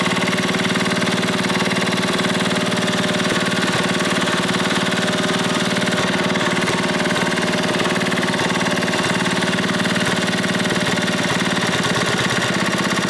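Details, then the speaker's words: Briggs & Stratton Model 14 6HP flathead side-shaft single running at steady speed, smoking heavily: a light, regular knock through the exhaust beat. The owner suspects a rod knock, but it is unconfirmed. "Sounds like a rod knocking too a little bit, so I'm going to have to probably put a rod in it and maybe a new piston too while it's apart."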